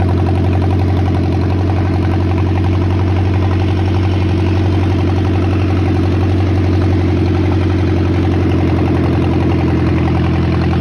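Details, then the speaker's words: John Deere 1010 tractor first start after sitting many years, carburetor repaired and ignition points/coil tested: even, steady low chug idle without misses or surges; sounds good, only small power steering and radiator hose leaks. "other than that sounds pretty good so at any rate I think we could consider this a success"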